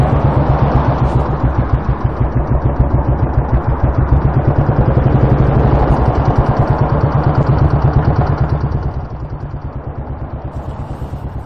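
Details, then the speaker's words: Royal Enfield Bullet single-cylinder engine at road speed after leaving the motorway: heavy steady thumping with a hard knock on each beat, less bad under load; rider suspects the big end, possibly the little end. "the Enfield did not sound well at all something seriously knocking in the engine which to me sounds like big end or little end"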